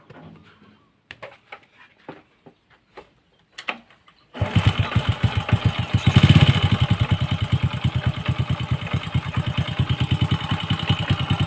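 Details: Honda Wave 100 motorcycle after repair: a few scattered taps, then the engine catches and settles into a steady, even idle; the earlier noise came from a worn one-way clutch bearing, now replaced.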